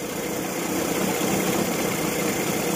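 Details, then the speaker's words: Evinrude 40 hp outboard after throttle synchronization, carburetor timing adjusted repeatedly: running just under 1000 rpm, fluctuating about 50 rpm, with a low hum that surges and sags slightly; uneven running. "so we're just shy of a thousand rpm right now and you can see it fluctuating a little bit I mean 50 rpm looks like"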